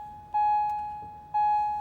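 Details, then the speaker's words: 2010 Acura MDX, key on but engine off, after oil change while resetting service reminder: two clear bell-like chimes a second apart, the normal unfastened-seatbelt reminder. "Sorry about that, it's gonna make some noise because of the seatbelt, but there you go, it says service right there."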